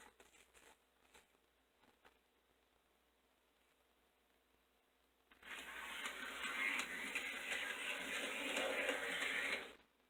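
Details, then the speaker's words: Toy 460 Camelback locomotive bought on eBay, after repair, motor loosened as possibly too tight against the gears, running with the shell off: quiet clicks, then an even motor whir with light gear chatter for about four seconds. Runs, moving sluggishly without the shell's weight. "Alright, it's not moving too well because it doesn't have the weight of the shell on the engine, and like I said, this one was the heaviest out of all of them when I did the initial testing. But it is running."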